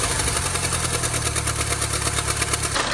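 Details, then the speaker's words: 2nd-gen Mini Cooper petrol engine idling with a fast, steady rattling clatter from a damaged, chunked drive belt slapping the pump wheel; fixed by replacing the belt, after which the engine ran quiet. "yeah, that noise, that's a death rattle."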